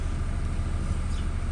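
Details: Toyota Hilux Revo diesel after replacing the alternator pulley, whose broken free-wheel bearing caused a belt whine/clicking at the engine front; charging now 13.69–13.8 V, up from 12 V. Steady, even idle with no whine or squeal; runs healthy.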